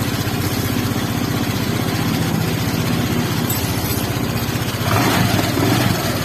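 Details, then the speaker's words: Honda Vario 125 after water pump installation, bolts tightened evenly, first start before coolant hoses fitted: steady even idle, smooth regular beat, no knocking, ticking or roughness; pump impeller correctly engaged with camshaft. "Ya teman-teman, ini udah bagus ya, tidak terjadi noise ataupun kekasaran ya."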